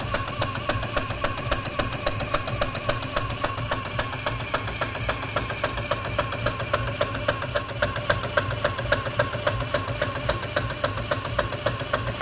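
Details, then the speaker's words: PM Research 6CI horizontal steam engine kit (1/4 HP) run on compressed air under load, exhaust wrapped in a rag: soft, even clicking about two beats a second; connecting rod linkage runs quiet, normal. "I've wrapped the exhaust pipe with this rag to quiet down the exhaust so you can hear how quiet the connecting rod linkage is while the engine's running"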